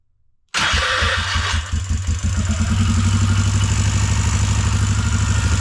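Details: 2004 Bombardier Outlander 330 4x4 ATV started during clutch repair work: engine catches at once and settles into a steady, even idle with no tick, slap or grinding; sounds normal and healthy.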